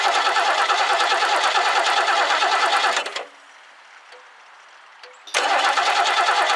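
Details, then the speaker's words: 1969 Lincoln Mark III barn find, carburetor refitted, gas poured in but most spilled outside the carb: two long bursts of even rapid cranking, never firing; owner suspects no fuel reached it. "yeah maybe I didn't get any gas in there at all maybe I just dumped it all out"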